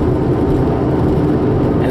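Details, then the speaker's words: Car with a bad wheel bearing, in neutral while coasting: low steady growl under road noise, worse in left curves and easing in right curves; wheel bearing growl. "the fact that when we go when we go to the left it gets worse go to the right it gets better"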